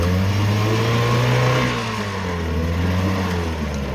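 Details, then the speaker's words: Two-stroke outboard motor on oil-gas mix, started only at full throttle, now running cleanly: steady even buzz easing down slightly without misses or stumbles. "now it runs just wonderfully."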